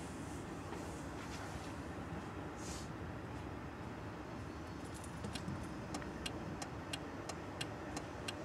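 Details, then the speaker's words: Car turn signal previously flashing at varying speeds, fixed after contact corrosion was found and new connectors fitted on the trailer-control wiring: faint crisp ticks about a hundred a minute; normal flasher rate restored. "ja wir wieder drin und hat die richtige geschwindigkeit"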